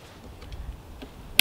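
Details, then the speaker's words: Razor Crazy Cart with 5-pin throttle swapped for a 3-pin aftermarket throttle via hacked connector, powering on with battery: one sharp single click then quiet; controller relay pulling in normally. "Turn it on. You hear the relay click. Now, let's see if it works."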